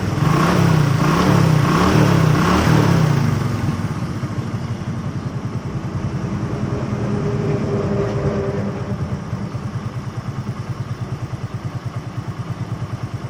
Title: Hero bs6 bike engine sound problem #shortfeed #shortvideo #ytshortsindia #youtubeshorts